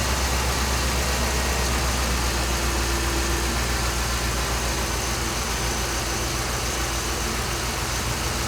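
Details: 2007 Dodge Ram 5.7 HEMI after water pump and thermostat replacement, belts refitted, first start with no leaks seen: smooth, steady V8 idle with an even low rumble, no knocks, ticks or whine; running normally.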